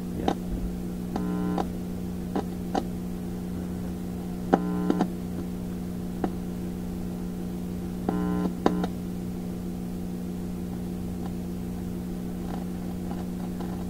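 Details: 1960s Symphonic Model 962 tube-amp record player running with volume up: constant low mains hum with steady buzz under occasional clicks, power-supply hum; amplifier is amplifying, tubes likely fine.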